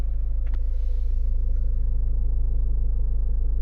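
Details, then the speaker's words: 2015 Ford Mondeo MK5 estate, heard in the cabin after zip-tying the vibrating rear fuel pipe cover: steady low even engine hum with no buzzing or vibration rattle; normal idle after fix. "what you can hear now is the engine engine sound if you go here on the back before and after that's the difference"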